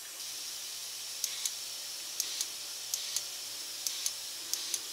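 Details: Toyota 22RE fuel injector on the bench, flushed with Seafoam at about five pounds air pressure: crisp paired clicks with a short hissing spray burst about once a second; injector opening and spraying cleanly.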